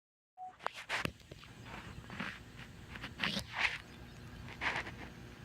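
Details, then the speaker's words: Stereo speakers connected to a TV give irregular squeaky, whinny-like bursts and crackles while streaming is paused and nothing is playing; intermittent squealing noise from the speakers. "And noise is coming from the stereo. It's connected to the TV. It's a weird noise."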